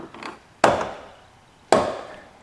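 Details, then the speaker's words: 2005 Chevrolet Silverado 2500HD Duramax driver's door: two sharp woody snaps about a second apart as the door swings open; worn door check snapping through detents, lubing didn't help, needs replacing. "You hear that snapping? Okay, so that is this door check right here that's snapping."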